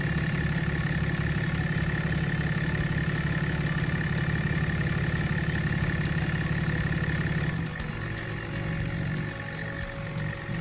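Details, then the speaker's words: 2007.5 Dodge Ram 2500 6.7 Cummins diesel (EGR deleted), after water pump replacement and coolant change: smooth, steady low idle, even rumble, no squeal, tick or rattle, no leaks; normal idle. "it is running good there's no noises there's no water leaks i am happy that it's done"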